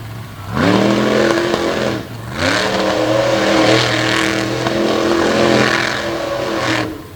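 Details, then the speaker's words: Ford monster truck running on track: engine revving in bursts with ragged uneven edge and a backfire, popping; truck still responding but running rough, possible fuel problems suspected. "backfire out of the engine right there [Music] doesn't seem to be too much of a problem the truck's still responding pretty well so sounds a little bit off though she may be having some fuel problems"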